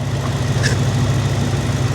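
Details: Ford F250 with 6.2 V8, about 102,460 miles, salvage auction truck: steady, even low rumble at idle with no knocks, misses or squeals, alternator charging; normal idle.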